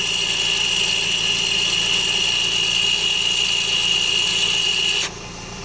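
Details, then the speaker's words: Audi A4 B8 / VW Passat (2008-2016), engine idling, Autel MS906BT commanding rear electronic parking brake open to service mode: steady high whine about five seconds, then clean cutoff. Normal parking brake motor retraction, reported successful. "So as soon as I hit this, we should hear the motor start running, okay? So here we go."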